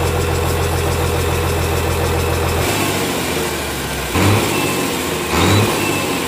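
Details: Komatsu S6D125 six-cylinder diesel freshly rebuilt in general overhaul for broken piston 5 and spun conrod 4 bearing, test-running: deep, even rumble with two brief rises in speed, no knocks or misses; normal running.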